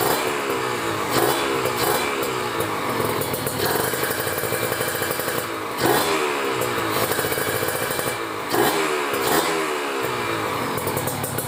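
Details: Kawasaki Ninja RR two-stroke with PWK30 carb (main jet 140, pilot 42, JJY needle clip second from top) and a ground wire kit, just started and still cold: steady buzzy idle, clean blips, no misfire; running right.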